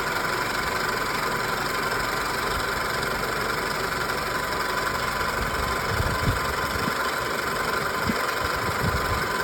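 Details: 2000 Toyota Camry with the original AC unit still blowing cold: steady high squeak over an even idle whenever the AC compressor engages; cause unknown.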